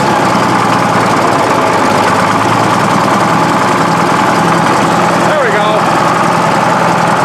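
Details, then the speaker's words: Case 1150B crawler dozer diesel started with ether, just after two broken injectors were replaced. Idle with a hard clattery edge over a low drone, possibly clackier than before, still smoky. Owners suspect the injectors aren't bled yet; no full throttle. "That's still pretty smoky. Sounds a little clacky too, I don't know. Does it sound clackier than it used to?"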